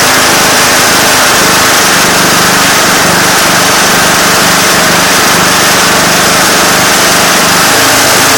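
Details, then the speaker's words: Craftsman GT6000 diesel garden tractor, warm weather, after fixing a slow-idle problem that turned out not to be the throttle cable; loud, fast, steady diesel clatter holding a high even idle, much more idle than before. Normal idle. "as you could hear their I got a heck of a lot more idle and a lot of nice diesel smoke"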